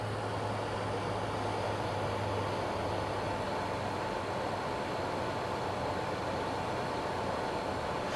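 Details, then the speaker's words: Xbox One X Scorpio Edition under graphically intense game load: loud constant rushing airflow with faint steady whine, worsening over time; suspected dried or misplaced GPU thermal paste. Loud cooling fan under load. "the other fans making a lot of noise and it was only getting worse so I think it was time to do something with the Xbox one X"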